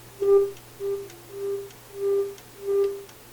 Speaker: I've cleaned this control now. That's a lot better.